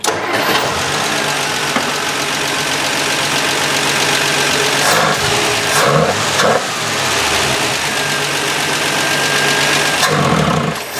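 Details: Canadian 1966 Valiant six-cylinder, sat over 20 years, after reconnecting a loose spark plug wire: it catches and settles into a steady, even idle with no stumble, all six cylinders firing. Normal idle.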